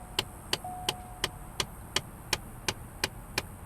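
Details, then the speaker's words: Chevrolet Cobalt SS, A/C on, blower dead on speeds 1–3: sharp, steady, evenly spaced clicking about three times a second behind the cabin; blend door flap motor clicking, replacement on hand, mounted far back on the right firewall. "motor for the door flap inside there. I do have a new one for that."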